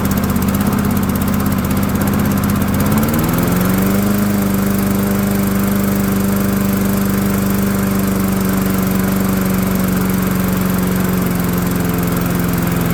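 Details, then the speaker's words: Cheap Dynamark lawnmower, after bending a part to give the throttle linkage more travel: fires right away on second start, settles to a steady even drone with no misses or surging; normal start and run. "So let me fire it up again, and let's see if it does fire up a second time. See, it does. It has more travel now."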